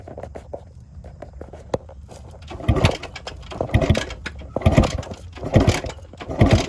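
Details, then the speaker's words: 1974 or 1975 Yamaha Enduro 250, believed two-stroke, barn find sitting for 27 years, kicked over out of gear: slow kicks give repeated whooshing compression strokes about once a second, no binding; engine turns over freely, not seized. "So that right there, I was definitely amazed when it kicked over."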